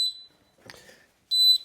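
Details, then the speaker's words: YoLink water leak sensor by a water softener and water tanks, water poured on floor: loud piercing high beeps in short bursts right after water reaches it; leak detected, also sends text alert. "And let me dry that off, stop the beep. And I get this text alert. So you don't have to hear the beep, you get the text alert."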